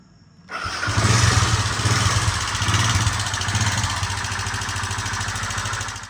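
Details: i-Smart 110cc motorcycle engine, before the fix, starting and idling with a dry metallic timing chain rattle over the exhaust thump; the engine is infamous for this noise.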